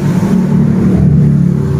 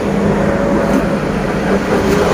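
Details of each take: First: 2020-2021 Honda Beat scooter CVT, rear wheel spun after fitting new bearings: a steady, even low hum, now smooth, with only normal bearing noise and none of the earlier crackling. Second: 2020–2021 Honda Beat DX scooter, engine off, rear wheel turned by hand: steady rough grinding "srok-srok" from the CVT, judged 90% a worn pulley bearing. It is barely noticeable when riding and does not affect pull.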